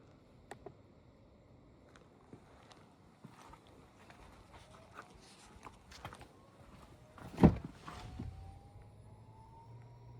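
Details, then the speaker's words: MK7 VW GTI sitting unused, low-pressure fuel pump run through a VCDS output test to drain old fuel: a faint whine climbs slowly in pitch under handling noise, running in about 10-second intervals; the pump works normally. "you hear that? That's the low pressure fuel pump working."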